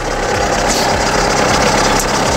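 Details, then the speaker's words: VW Polo 9N3 at idle: even, smooth running with no misfires and no typical ticking; a faint whirr from the worn ribbed belt, which slips slightly; ABS warning light on, unrelated. "motortechnisch läuft aber echt gut ne also ja keine zündaussetze hat auch nicht dieses typische ein4er klackern"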